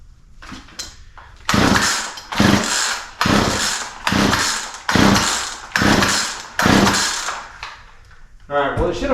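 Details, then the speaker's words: Poulan P3314 33cc chainsaw with 14in bar, chain off the bar, bought as a non-runner; switch on, throttle and choke open, carb cleaner sprayed into intake; eight pull-cord rasps about one a second, never firing: cranks but won't start. "and then we're going to pull it through a few times to see if it'll at least attempt to start so nothing so"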